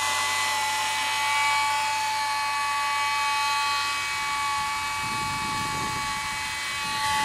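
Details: 2008 Mercedes E300 petrol, recently bought, with a steady high-pitched whine over the quiet engine just after start-up. The A/C compressor doesn't run; online videos with similar sounds point to the alternator or A/C, and the cause is unknown.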